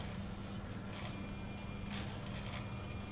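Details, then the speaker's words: Futaba CGY760R gyro setup on a helicopter: low steady servo groan as the rudder servo strains against its linkage because the rudder travel limit is set too far; lowering the limit to about 115 right and 110 left stops it. "これだけ増やすとサーボが今度唸り音が出てきますこれだと今リンケージが突っ張ってる状態なのでラダーターボに負荷がかかってしまうので唸り音が出ない位置まで数字を下げる"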